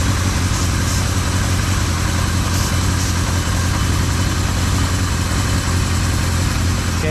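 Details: 1976 Kawasaki KZ650 inline-four at low idle while starting fluid is sprayed on the carburetor rubber seals: idle holds steady with no rise or hunting, so no vacuum leak there.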